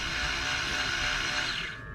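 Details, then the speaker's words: 1999 BMW 323i ABS pump motor run by scan-tool active test after re-soldering a broken joint in the ABS module: steady high-pitched electric whir for about 1.5 seconds, then a clean cutoff; the pump now works normally. "when i press this and i will activate it you're supposed to hear a noise here so here we go you hear that pump working"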